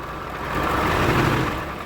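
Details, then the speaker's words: Diesel vehicle at idle after starting, before water pump removal (removal requires taking off timing belt, camshaft pulley cover, alternator, belt tensioner and idler pulley): steady idle with a rough upper-midrange hum, clearly noisy; water pump bearing noise. "Sound എന്ന് പറഞ്ഞാൽ തന്നെ sound ആണ് നല്ലതുപോലെ noise"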